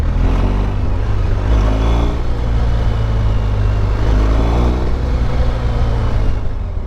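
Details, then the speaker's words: BMW GS Adventure boxer engine after service, under hard throttle: deep, even rumble with a quick cam changeover clack as it overcomes the spring-loaded locking ball, almost like detonation; a normal sound. "and you hear it one it does it really fast and two it has to overcome this uh spring-loaded ball bearing that essentially ensures that it locks it in place once it shifts you know that's normal sounds"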